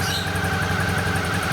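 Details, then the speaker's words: 2012 Suzuki DL650A V-twin, just revived after an ignition problem: lumpy but even thump at idle, steady, no knocks or misfires; normal idle. "but that's it everything's up and running unbelievable"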